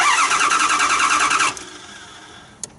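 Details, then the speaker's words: 2009 Dodge Durango cranking without starting: starter spins evenly for about 1.5 seconds, no catch; gauge shows 0 psi fuel pressure against about 49.5 psi needed; fuel pump relay being tested, fuel pump suspected. "At least I need to have a fuel pressure, at least 49 psi, 49 and a half psi, and without no psi is why the truck doesn't start. We missing fuel."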